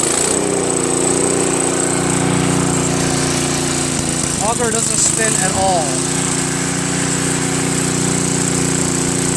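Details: Craftsman 522 snowblower with Tecumseh engine, sat for years: small single-cylinder engine holds a fast steady drone but runs only with choke on or halfway, lean mixture; owner suspects a hardened, collapsed fuel line or not enough fuel reaching the carburetor.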